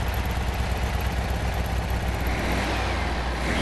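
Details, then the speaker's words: Classic VW Beetle flat-four warming up on choke after a carburetor clean and rebuild for hesitation. A steady low fast-idle burble with an even beat, no stumbles; a normal warm-up idle. "Idling good. Let's let it warm up a little bit. Give it some time to warm up."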